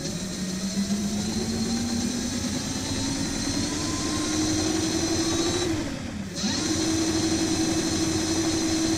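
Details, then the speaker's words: Hub motor of a DIY dual 350 W hub-motor electric scooter, run while pushing against the other wheel; owner believes heavy friction, this wheel stronger and holds it. Steady whine climbs, dips briefly, then holds higher under the drag. "with the load of the pushing the other wheel I believe is it's doing a lot of friction but this wheel is stronger it can hold can hold it"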